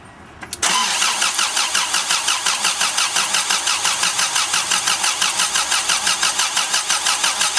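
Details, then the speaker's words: Subaru EA82 engine, freshly installed with fresh oil, dry-cranked for 10–15 seconds with the coil wire pulled before its first start: a steady, even starter whir at about three pulses a second with no flat spots, indicating good, balanced compression. "Okay. And that right there is the sound of good compression."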